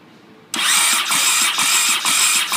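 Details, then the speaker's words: Honda CX500 project with donor engine just mounted, battery at about eight volts: sluggish starter turns it over in slow even pulses about twice a second, never catches, though spark is present; slow cranking from low battery, no start. "so uh the battery's at like eight volts right now so we're not getting a whole bunch in there but we are getting spark so that is a wonderful wonderful sign"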